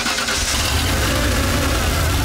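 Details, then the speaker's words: Old Ford F-150 with EEC-IV ignition, new coil and module, previously no-start: runs lumpy and uneven with ragged beat; misfire caused by the spark tester arcing heavily. "because i looked over and i realized oh wait that's arcing like crazy that's why it's running so poorly"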